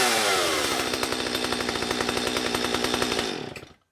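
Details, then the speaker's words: Stihl 025 chainsaw after carburetor and fuel line replacement; crisp, steady high-revving two-stroke buzz with even firing, then clean shutoff. Runs great. "Runs great."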